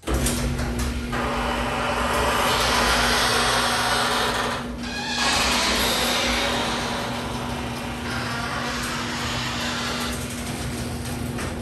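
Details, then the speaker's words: Garage door opening before lubrication: steady opener drone with rattling and rough repeated squeaking from dry hinges and rollers; oiling hinges, rollers and top spring made it quiet. "I just wanted to show you the garage door how much noise it makes when it opens"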